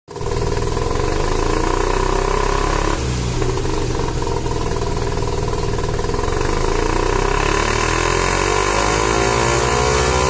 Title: Rexy Savanna Rx7 Sa22C 13B misfiring under boost.. what seems to be the problem?